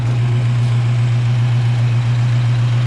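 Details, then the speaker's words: Freshly rebuilt Ford 302 with stock bottom end, GT40P heads, Cobra cam, factory speed-density ECU, rings still wearing in, a sticking lifter now pumped up: deep, steady, even V8 burble, no tapping. Normal idle. "I mean, you see it, look how well this thing runs. Yeah, that lifter did pump up. Seemed like one was sticking a little bit. Look at that. That sounds good, don't it? Rings are still wearing in."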